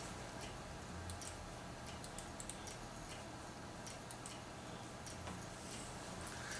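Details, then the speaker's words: Hard drive from a computer that failed after a power cut, connected by USB2-to-SATA cable for data recovery; faint repeating dry clicks over quiet hiss, no steady spin, transfer stalled; click of death, failing drive. "no it's making the clique of death hopefully you guys can hear that for a minute - not transferring anything"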